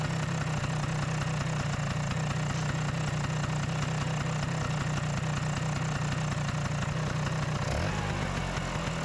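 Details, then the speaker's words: Vespa PX two-stroke after the no-start fix, with the idle screw turned anti-clockwise to lower the high idle. It holds an even, steady idle buzz and picks up cleanly on a throttle blip, running healthy. "I need to turn the idle screw a few turns anti-clockwise to reduce it. ah that sounds better!"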